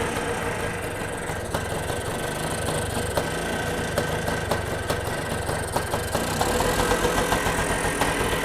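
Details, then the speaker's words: Kawasaki KE175 two-stroke motorcycle out of storage, fresh fuel after draining old gas, carburetor cover off: fresh-start idle, light and slightly uneven with rapid popping about three to four beats a second, running but not fully settled. "so you could hear it there i was able to go ahead and get it started"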